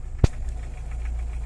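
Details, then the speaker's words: VAZ 2103 petrol engine after a valve clearance adjustment, which fixed a knock caused by a loosened valve adjusting bolt: a steady idle around 900 rpm with an even beat and no knocking after one brief tap. The engine sounds healthy. "Давайте по привычке мотора теперь не слышно А едет он лучше За что мы и боролись"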